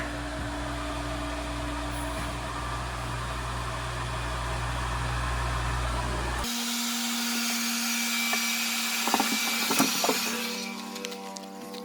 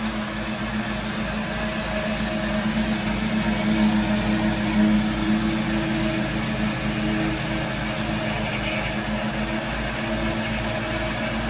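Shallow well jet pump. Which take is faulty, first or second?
first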